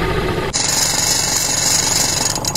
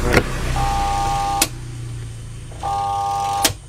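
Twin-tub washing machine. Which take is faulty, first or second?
second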